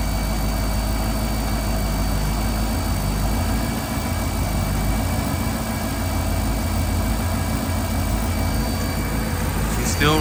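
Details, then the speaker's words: Engine with 28-year-old injectors idling rough after their first cleaning, fuel rail reinstalled with new O-rings and system primed; uneven lumpy low beat with slight wavering; was a hot-start problem, cold starts fine; cause still unknown to owner. "idling rough. I don't know what it is, man. I have no idea what the reason is at this point."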